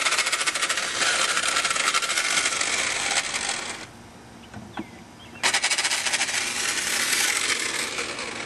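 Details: Nissan 300ZX not starting: high fast whirring spin cutting out briefly then resuming, no cranking beats; starter freewheeling without engaging the flywheel, found to be starter motor sheared apart from its housing.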